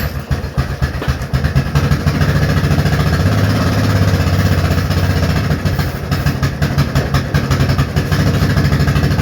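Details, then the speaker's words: Grandpa's long-neglected Yamaha Kodiak ATV, single cylinder, given starting fluid through a hole in the intake: catches and pops unevenly for several seconds. Unclear whether it is running on fuel or only starting fluid; it smells of oil and smokes heavily. "Well, can't tell if we're running on some fuel or just starting fluid."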